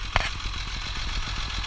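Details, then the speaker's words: 1958 Mercedes-Benz 220S six-cylinder with manual choke, fuel pump bypassed with a regulator: smooth, even idle at steady speed with no ticking, knocking or odd noises; running healthy. "no noises or anything like that you know no knock or anything like that or nothing weird"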